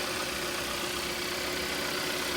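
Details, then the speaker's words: Kia Rio (2012–2017) 1.6L freshly installed engine idling, heard from underneath while checking for leaks and odd noises: steady, even idle, no knocks, ticks or hissing leaks; runs smoothly, to be idled until fan cycles twice. "What I like to do after I have it running, you let the car run until the fan comes on and off twice. All right, don't rev it up, don't race it."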